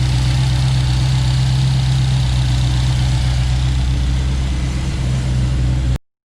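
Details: 1932 Ford V8 fired up after installing Remflex header and collector gaskets to fix exhaust leaks; deep, steady idle burble with an even low pulse and no ticking or puffing, exhaust sounding sealed at the headers.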